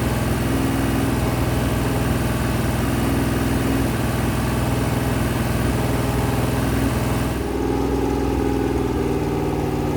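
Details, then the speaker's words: Freshly rebuilt 426 Hemi crate V8 (new heads, intake, pistons) on a run stand during flat-tappet cam break-in near 2500 rpm (kept under 2,800), 32 degrees timing, 150°: loud, even drone, no ticking or knocking; healthy high idle. "Every so often, I'll rev it. I'll bring it lower. I'll bring it higher. I'm not getting over like 2,800."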